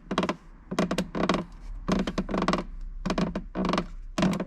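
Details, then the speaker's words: Lotus Elise dashboard, near the starter button left of the steering wheel and side vent, panel pressed: repeated short plastic creaking or groaning bursts about once per second; interior trim creak, exact source still unknown. "the sound sounds like a creaking or groaning of plastic and i think it is this over here"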